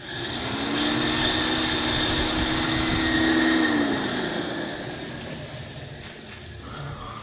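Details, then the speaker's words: 2003 VW New Beetle 1.9L TDI ALH diesel, manual: second radiator fan tested on high speed after coolant refill gives a steady, even whir that holds then winds down; high speed works normally, though this fan's low speed is dead. "All right, so that one's high speed works. That's what high speed should sound like."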